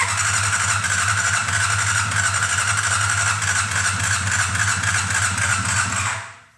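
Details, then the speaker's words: 1990 Honda CBR600 stored outside ten years, first firing after fixing a no-crank/no-spark fault: steady low running with uneven hiccups from the exhaust and no rise in revs because the carburetors are stuck shut. "not revving up because the carburetors are stuck shut and I can't open it up. It's enough to get me excited though. Just in case you couldn't hear the little hiccups coming out of the exhaust,"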